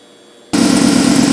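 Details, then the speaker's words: 2009 GMC Sierra after accidental 24-volt boost, no crank: fuel pump control circuit jumpered with fused wire; after a short pause a steady hum switches on and holds evenly, the in-tank fuel pump running. "and if I connect 16 to one you can hear the fuel pump in the tank runs so that'll allow me to get it out of the shop at least"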